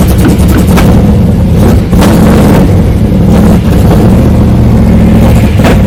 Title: Lt1 z28 camero 1995 misfire and bogging ?